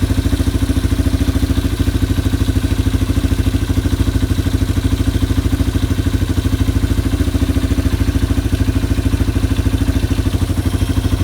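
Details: Yamaha ATV (four-wheeler) idling after carburetor cleaning and float adjustment, air box rinsed and new air filter being assembled. Even, steady single-cylinder putter, about three beats a second, no stumbling: normal idle.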